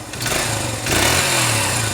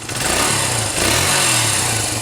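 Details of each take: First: 1980s Honda dirt bike, first start after carburetor rebuild and choke lever fix: small single revs raggedly, pitch sagging and wavering, won't settle into a steady idle; idle speed set slightly too low. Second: 1980s Honda single-cylinder dirt bike just restarted after carburetor rebuild, kick-started: crisp, even, quick putter like a sewing machine with a slight blip, no misses; idle may need slight adjustment; normal idle.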